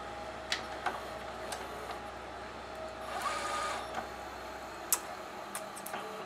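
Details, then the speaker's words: GoVideo DVR4000 DVD-VCR, top off, tape inserted: quiet motor whir with scattered clicks and snaps that never finish a clean cycle; mechanism tries to spill tape and won't return it, drive gear cracked and detached from clutch, almost no take-up torque. "definitely not good no it doesn't like that there's definitely something going on with that mechanism it doesn't want to give me my tape back"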